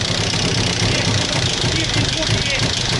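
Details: Sierra engine knocking at a rough idle, dull uneven thumps several times a second; owner believes the motor is finished and will need a replacement, cause not confirmed.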